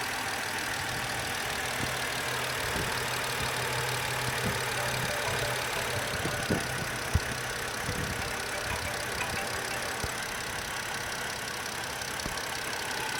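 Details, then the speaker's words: 2007 BMW 530i, warm idle, steady drone stumbling every few seconds with shakes and misses, lean codes on both banks; new MAF, plugs, valve cover gasket and air filter, throttle body cleaned, no vacuum leaks found, cause unknown. "I don't know if you could hear a little bit of the idling, but you can see my phone shaking."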